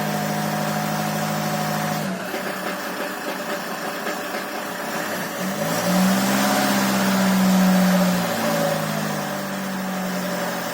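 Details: Land Rover Freelander 2 diesel engine knocking, about four knocks per second under the diesel clatter, rising with a short rev; valves, rockers, injectors, compression and timing marks checked OK, no fault codes; source still unidentified.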